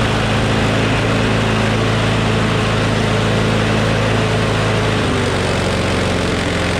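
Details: Craftsman push mower with Briggs Quantum engine after bail cable replacement and priming trouble: steady even running with slight speed change at end; runs better, slight vibration, blade probably out of balance.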